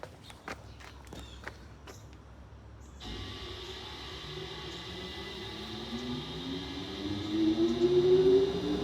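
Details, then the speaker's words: 1908 Davidson Ventilation Company 48-inch exhaust fan motor starting: a dull thunk at switch-on as the rotor is pulled forward to align in the stator, dragging the blade, then a low rumble climbing as it spins up normally. "You hear that thunk when the motor starts up? Yeah. That motor means business. That sound is it's pulling the rotor forward to align it in the stator."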